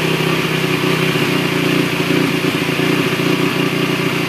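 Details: 2008 Honda TRX450ER quad that starts cold but idles high even with the choke off: fast, uneven, lumpy idle that never settles; rough high idle, and after restart it makes a loud noise and dies, cause unknown.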